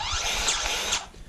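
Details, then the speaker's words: Powered grease gun with a Lock n Lube XL coupler locked on a loader joint, loader raised so the joint is under pressure, in extremely cold weather. About a second of steady high motor whir as thick cold grease goes in slowly, then a clean stop: working normally. "But you can hear the grease is actually going in. It's just taking it a minute because it's so cold that the grease is really, it takes a lot to get it in there."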